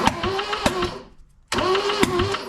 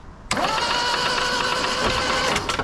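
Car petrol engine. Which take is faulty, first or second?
first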